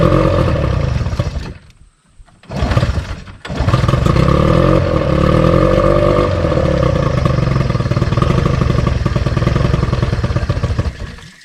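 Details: Outboard on a restored 1972 Glasspar (Larson) boat, on muffs, unrun since April, carburetor run empty for storage: catches after a couple of tries, then runs with an uneven, wavering note; rough running, ran like a top in April.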